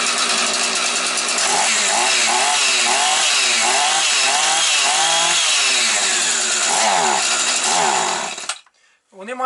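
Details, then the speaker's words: Husqvarna 445 chainsaw, long unused, started cold with low idle set and cover off; wavering, hunting note that sags and recovers at low revs; cold hesitation until it warms up, choke more open might have started it sooner. "провали на холодно щоб ви знали того треба не боятись бо тому що система ексторків стоїть і вона мусить добре нагрітися"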